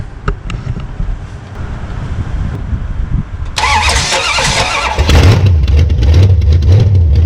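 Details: 1966 Plymouth Belvedere V8 after swapping a flooding Quadrajet for a rebuilt used Edelbrock carburetor; a few seconds of cranking to bring fuel up, then it fires and settles into a steady idle, starting and running fine.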